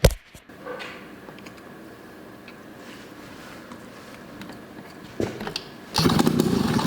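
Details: Snowmobile ("Olympic") first start in years: quiet cranking and a few stumbles, then the two-stroke catches with a loud, raspy, uneven burst near the end. It fires and runs.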